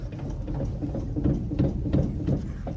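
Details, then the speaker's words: Dump trailer parked, wheel rocked by hand: dull low clunks repeating from loose wheel bearings never serviced since the trailer was new; hubs not hot. "that's that's loose bearings so they have not been serviced since price since the trailer is new"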